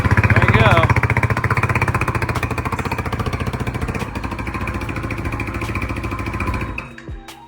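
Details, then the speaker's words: New Hawk 250 (BD250) EFI dual-sport single on first start with fresh fuel, fuel pump heard priming: it catches and thumps about four beats a second, weakens, and dies after roughly seven seconds; the engine stalls after starting. "Well, died again. That's not good."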